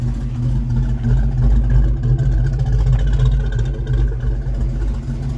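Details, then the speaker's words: 1982 Ford Mustang GT with short-tube headers and H-pipe, after the driver-side header leak was repaired, heard from outside: a deep, steady rumble with no puffing or ticking; header sealed, only fuel pump eccentric clicking audible. "now it's time to go test driveing it oh it sounds so much better from the outside so much"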